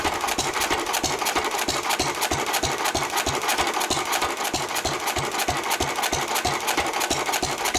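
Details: 1923 3.5 hp Emu (rebadged Hercules) stationary engine, restored early 1980s, first start in 20+ years, after oiling a sticking magneto/exhaust valve linkage: crisp even beats about three a second, steady rhythm, no knocks or misses; normal hit-and-miss running.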